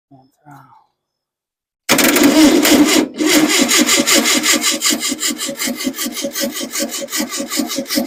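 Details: Engine's first start after months of rebuilding, tank above engine, roughly gravity fed: fast rhythmic cranking about three beats a second with brief catches that never sustain; fuel issue suspected, fuel pump unconfirmed; fires but won't keep running.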